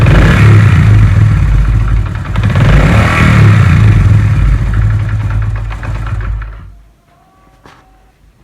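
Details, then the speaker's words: Honda CD 70 single-cylinder bike, revved then throttle released: engine lingers high and very slowly sags back to idle, nearly cutting out; slow return to idle, attributed to a setting (tuning) issue, adjusted as part of a mileage-improvement setup. "आप नोट कीजिए कि मैंने बाइक की रेस दे के जब छोड़ी है, तो ये काफ़ी देर से वापस आ रही थी अपनी असल पोजीशन पर।"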